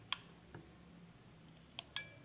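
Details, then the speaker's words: Juki MO-2366N 5-thread overlock machine turned slowly by hand during broken looper replacement: four unevenly spaced sharp metallic ticks as the looper strikes the needle, bent needle seen after looper was moved back. "Data kedengaran ya suaranya, ngadu ya."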